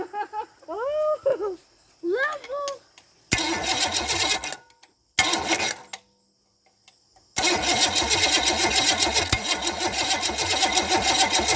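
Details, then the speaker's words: Chevy small block 305, first start attempt with points distributor and no fuel supplied, only checking for spark: short bursts of fast, even cranking that never catch; suspected lack of fuel and timing. "i think it tried we'll need more fuel do you have any fuel hook to it no i'm just seeing if it'll spark off"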